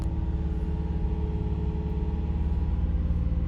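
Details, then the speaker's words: Nissan 350Z Nismo VQ petrol V6 at idle after cleaning the throttle bodies without unplugging: idle won't settle, rumble swells and dips, bounces up and down; no check engine light, drives normally; owner suspects throttle bodies failing to relearn position. "it just doesn't know where the minimum idle is and it just bounces up and down"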